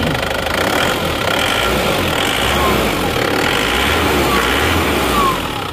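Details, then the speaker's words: Isuzu Panther Grand Touring diesel from Madiun at idle after repair of blow-by (ngobos); smooth even clatter with no puffing, to be road-tested on a long trip before return. "sekarang sudah selesai dan halus lagi suaranya"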